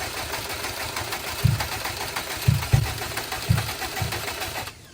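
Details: Bugeye Subaru being revived after its custom tune was swapped for an off-the-shelf Cobb base map and the mass airflow sensor unplugged: engine churns with uneven low thumps about once a second, never catches and dies; wrong firing order or coil packs suspected.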